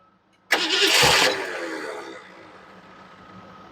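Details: 1975 Ford Mustang II, 302 V8 with 2-barrel carburetor, automatic, weak nearly dead battery, throttle held open: short harsh burst of cranking fades to a faint hum, engine never catches; cranks but no start.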